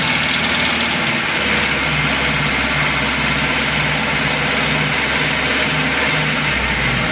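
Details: Engine warmed to full operating temperature (had not started for a day and a half), idling with a light, fast ticking clatter over the even beat; oil pressure lamp flickers when hot; heavy wear of camshaft and its bed causing camshaft knock.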